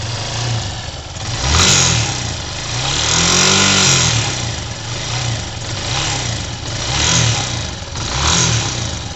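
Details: 2007 Yamaha YS250 Fazer engine noise that started after switching to Petrobras Podium fuel; sometimes present even when cold and ridden gently, always on a harder rev; tensioner already replaced without fixing it. Repeated blips with a rattly metallic edge on the thump; cause unconfirmed.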